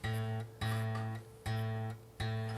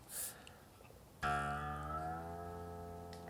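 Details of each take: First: 1953 Gibson Les Paul Standard: low string plucked four times, each note with faint metallic buzz from loose bridge saddles vibrating; fix is tightening saddles. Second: 1953 Les Paul being restored, after fixing a loose bridge saddle that had buzzed against the string: plucked string rings with a clear, steady, pure tone and even decay, with no bridge rattle.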